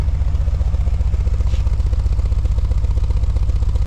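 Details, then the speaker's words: Holden VP with a GM3800 V6 has a lumpy, loping idle with uneven chuffs as a cylinder drops out. Misfire from a failed coil pack on the DFI ignition module, the third coil failure in about 3–4 months. "So, this is what it's doing. It's basically running like crap."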